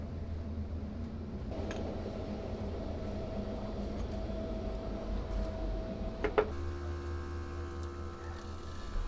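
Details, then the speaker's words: Military tank fuel system during workshop repair: quiet electric pump hum changing pitch partway as it pulls fuel up the line; normal fuel pump priming. "You can hear it sucking the fuel up now."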